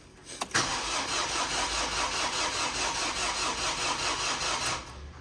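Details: Ford Fiesta TDCi diesel with a starting problem, with the fuel lines redone and the battery a bit low: the starter whirs with a fast, even churn for about four seconds but the engine never runs. The owner suspects the in-tank fuel pump, unconfirmed.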